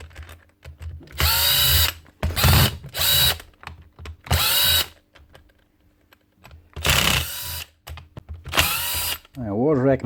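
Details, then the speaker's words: 2017 Hitachi DV18DBXL brushless cordless drill before repair: short bursts with motor pitch jumping up and down instead of holding steady; speeds all over the place, owner hopes it's just the faulty trigger switch. "She's still working. Speeds all over the place. Hopefully it's just a switch."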